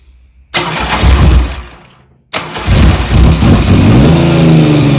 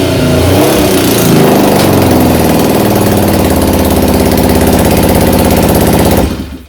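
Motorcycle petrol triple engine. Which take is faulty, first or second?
second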